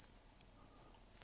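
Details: Invicta Supersonic Electronic Master Mind game, fixed cracked power-switch track, running about 120mA at 3V: two clean, high-pitched beeps, each about a third of a second, evenly spaced, on winning; sounder working normally.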